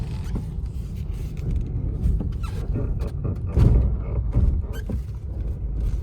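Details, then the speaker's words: New-model Maruti Dzire during a road test: irregular low clunks and creaks start the moment the brake is pressed, pointing to a loose caliper wobbling on its mounting. "गाड़ी से इस तरह की आवाजें आ रही हैं। Break दबाते ही ये आवाजें आने लगती हैं।"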